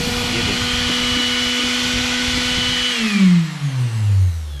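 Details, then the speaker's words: Mixer grinder motor after bush replacement: steady high whine with a clean even tone, then a smooth pitch drop as it coasts down, no rubbing or brush sparking; earlier noise gone, normal run. "कोई चिंगारी नहीं निकली। और कोई नहीं है कोई आवाज नहीं है। स्विच ऑन होते ही यह कार्य किया जा रहा है।"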